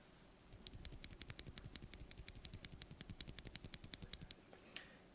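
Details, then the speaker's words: Wooting Flaretech switch after spring lubing and switch filming: rapid, crisp taps about eight a second, with spring ping and housing rattle basically gone compared with stock. "Now, I actually managed to lube and film one. As you can see here, there is a yellow sort of film here, and if I were to do the exact same motions as I did with the stock one, you can hear that it's basically non-existent."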